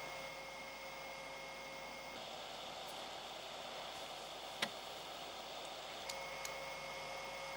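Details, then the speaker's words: Amiga fitted with a replacement cheap fan, cover back on: a thin, steady high-pitched whine with a soft airy rush at one constant pitch; fan still too noisy, a 27-ohm resistor on the positive lead planned to slow it. "I mean began the technology it's clearly a cheap plan this so that's definitely gonna like last longer but this still is that noise that's that's bugging me"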